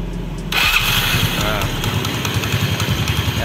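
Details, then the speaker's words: Yamaha Mio scooter after repairing a slipping electric starter that would not engage: starter whirs briefly and engine catches at once into a quick, steady putter; starts cleanly. "kita starter lagi kita coba ya Nah langsung jadi nih teman-teman Kita coba lagi"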